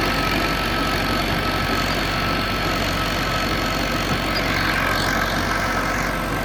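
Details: John Deere 450C bulldozer, warmed up after reassembly, relief valve pressure set and fluids topped off, backing out of the shop: steady, even diesel rumble with no knocks or misses at constant speed; engine running normally.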